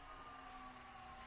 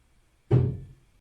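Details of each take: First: Tesla Model 3, parked and plugged in during an over-the-air update with ventilation off: faint steady high whine with thin drifting tones from the drive motors. Cause unknown; owner wonders if motors such as the wipers are resetting. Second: Tesla Model 3 during an over-the-air software update, parked, screen showing "updating electronic control units" in the battery: one sharp deep thump out of silence, dying within half a second, the battery contactors closing, normal during an update.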